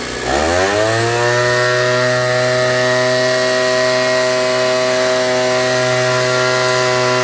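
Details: Ryobi 38cc backpack blower, started cold with choke then set to run: snaps up into a high, steady, even howl at full throttle and holds it cleanly; normal full-throttle running.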